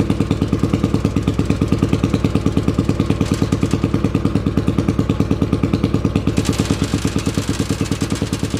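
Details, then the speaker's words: 800cc lawn pulling tractor engine, first test run in neutral with clutch pushed in, air box and half carb covers fitted; deep, even thumping rumble at steady pace, regular firing, no misses or knocks; normal running. "so just real quick it sounds much better with the air boxes on or air box and half a half of carb covers just really listen to that rumble"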